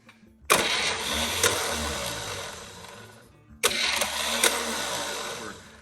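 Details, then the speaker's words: 1963 Chevy 230 inline-6 sitting about 35 years, spark plugs out, starter jumped: two short harsh whirring, clattering bursts that die without turning the engine; Bendix not happy, starter later replaced. "The Bendix isn't happy, but, ooh, like it didn't turn over actually."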